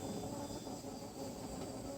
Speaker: So you can hear it. It's a very steady stream. And you can also see it.